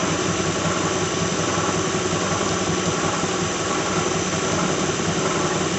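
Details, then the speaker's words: 2006 Lincoln Town Car warming up at idle: a whirring squeal with a loose, irregular rattle and about one knock a second from the front, also audible outside. Cause: a bad harmonic balancer, after coil packs, plugs, pulleys, alternator, belt and cam sensor were replaced without effect. "You can hear it rattling right now. There, you have a bad harmonic balancer."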